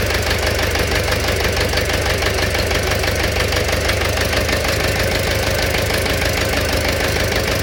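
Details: Engine knock at idle: a sharp, regular knock of about three per second rides on the engine beat; cause not yet found.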